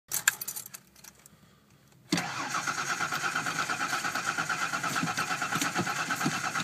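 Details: 1989 Ford Bronco II 4.0 cold start: starter cranks steadily about three pulses a second but engine never catches; has spark and fuel, cause unknown.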